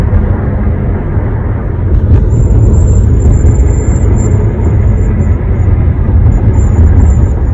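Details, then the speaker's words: One-month-old 2021 Honda HR-V at 60 mph, windows closed: thin, piercing high whistle comes and goes over deep road rumble; owner calls it a known design flaw, dealer says normal. "Whistling sound. 60 miles an hour. Window closed."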